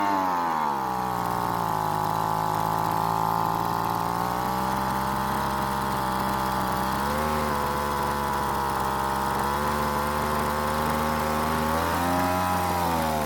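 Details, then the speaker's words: Weed Eater leaf blower, two-stroke, not started after long storage, during carburetor tuning: buzzy high idle sags and surges, runs only on partial choke and dies off choke; owner assumes it runs lean and richens the L and H screws. "oh now since the engine runs with partial choke and wants to die off choke i'm gonna assume it wants more fuel"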